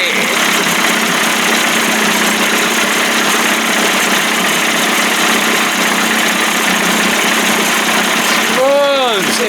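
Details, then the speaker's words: 1989 Johnson Tracker 25 hp outboard, first start, pumping water, warming up before carburetor adjustment: steady even two-stroke buzz at constant idle, no misses or knocks; started right up, idling smoothly. "man started right up sounds good"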